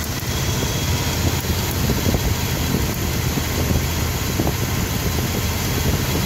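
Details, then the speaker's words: Engine with intermittent misfire and unstable idle: faint, uneven sharp snaps over a rough idle, like a light tick, from a spark plug wire missing its metal connector and arcing; not a lifter or mechanical fault. "some people get confused when they hear that noise. They think it's a lifter. They think it's something else. They think it's something mechanical, and it's not. It's something from the ignition system. It's the wire. It's the sound of the spark jumping."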